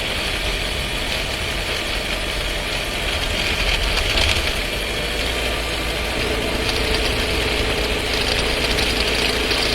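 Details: Skoda Scala 1.5 TSI with dry-clutch DSG, new, about 3,500 km: light, busy transmission rattle of about four beats a second under light load and gentle throttle, heard inside the cabin.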